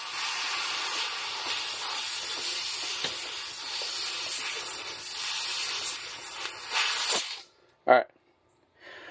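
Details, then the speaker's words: Factory nitrogen charge released from a new 12,000 BTU 110V mini split heat pump coil during install: strong steady hiss for about seven seconds, then stops, showing the coil held pressure with no leak. Nitrogen charge intact. "again that is nitrogen it will not hurt you do not be alarmed that is actually a very very good sign that means that that coal right there does not have a leak in it up into that point"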